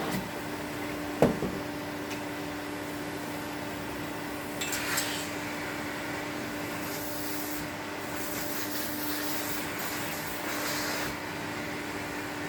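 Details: 1972 Electrolux Z310 cylinder vacuum after cleaning very dirty fans and greasing bearings, formerly very noisy: soft steady hum at one even pitch under some rubbing and handling noise; motor runs quietly, normal running.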